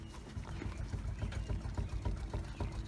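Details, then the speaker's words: 2008 Infiniti G37 at 179k miles, bad front wheel bearing: dull low clunks as the stationary wheel is grabbed and shaken by hand, with play felt in the tire; the other side has no play. "you hear that noise I can shake this tire with two hands it's easier but you just grab the tire give it a good shake and if you hear this play I Can Feel the play in the tire"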